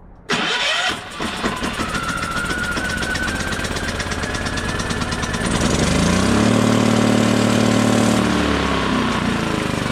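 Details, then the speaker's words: Champion 3400 W inverter generator on electric start: it whirs, catches, tries to speed up, then sags back to a labouring low speed. It cannot gain rpm because the inverter board is shorted, and the short worsens as rising speed raises voltage. "so like I said the inverter board is bad it's shorted out and it's causing the motor to not be able to gain rpms because the faster goes the more voltage it produces the more voltage it produces the worse the short gets"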